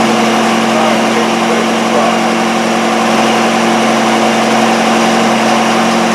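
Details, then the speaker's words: Miller Wildcat 350D diesel engine welder, bought non-running, now running on tank fuel that was about 3/4 full of old diesel: a steady, even drone with no knocks or misses. Normal running. "It was probably 3/4 full of older stuff, but it seems to be running okay. So, we're just going to let it run and get rid of that. But the engine seems to run beauty."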